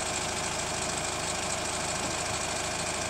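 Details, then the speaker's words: Hyundai ix35 CRDi 136 hp diesel, warm idle: steady fast light knock about three per second over the clatter; disappears hot right after an oil change, returns in 2–4 weeks; chain damper tensioner replaced 1.5 years ago, dealer found nothing; source undetermined. "И этот звук совершенно пропадает на горячую, если поменял только масло. Вот только поменял масло, выехал, не будет его. 2, 3, 4 недели прокатаешь, само возвращается."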